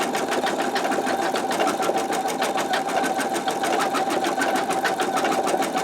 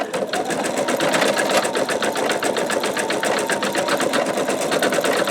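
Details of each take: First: Embroidery machine stitching at medium speed (one notch above lowest) using a 10.2 x 8 inch MagnaHoop magnetic hoop: steady, fast, even stitching clatter at a constant pace, slightly louder than at slower speed, no knocks or grinding; normal running. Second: Embroidery machine stitching with a 10.2 x 8 inch MagnaHoop magnetic hoop: fast, even needle ticking with occasional faint pops; it is uncertain whether the stabilizer isn't tight enough or it's just the stitching.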